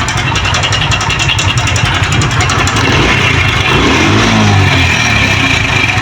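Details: 2023 Honda CD 70 motorcycle at 6000 on the meter, just started: busy, clattery rattle over an uneven single-cylinder idle, loudest after start-up; timing chain noise, worn chain set to be replaced.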